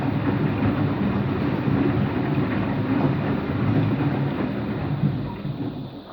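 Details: Washing machine on an empty rinse-and-spin cycle: deep, rough rumbling roar through the whole spin, steady and heavy with no clean tone; owner suspects both motor bearing and drum bearing, no leak seen.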